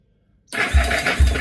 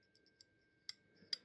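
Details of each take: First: Yamaha SR250 SE motorcycle starter test after reconnecting the electrics during restoration: quick whir as the starter engages, then two strong, even compression thumps about half a second apart; normal cranking. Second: Yamaha SR250 SE motorcycle flasher relay, opened and found broken inside: faint uneven light ticks about half a second apart; left indicators blink slowly, right not at all; faulty flasher relay.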